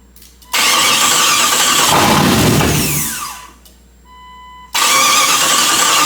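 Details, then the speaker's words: Chrysler 318 V8 from a Grand Cherokee with 96 AW4 transmission, swapped into a Jeep TJ, first start on starting fluid without fuel pressure: fires, runs a few seconds, then dies quickly; owner suspects it's running out of fuel. "sounded like a pretty rapid die if you ask me Dam 1's like a lot of starting fluid but I don't like spraying a lot I think it's good I think it's just running out of fuel really really quick cuz I heard everything click like it was still telling it to be on"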